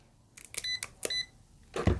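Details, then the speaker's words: Continuity meter beeps across a rice cooker's thermal fuse after re-soldering it (it was silent before, fuse blown); two short clear beeps confirm the repaired fuse now conducts and is intact. Cooker was switching off before rice cooked. "ถ้าฟิวไม่ขาดมันต้องมันต้องดังแบบนี้นะครับอ่าแตะดูครับแตะดูอ่าอันนี้เรียบร้อยนะครับก็ฟิวดีละนะเรียบร้อยนะครับ"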